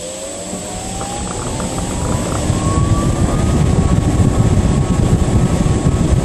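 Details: Whirlpool ventless washer-dryer, model YWHD3090GW, brought in for excessive noise, tested after its motor was replaced. The motor winds up with a smoothly rising hum over a steady tumbling rush, no grinding or rattling. Running normally.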